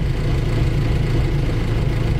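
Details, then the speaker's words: Land Rover Series IIa with mechanical fuel pump, which always cranks before firing; a sticky starter is unexplained. Starts after the light switch and wiring loom were replaced. Deep steady rumble with an even beat, no knocks or misses; normal idle just after starting. "Right, okay, let's see if it starts now. It does."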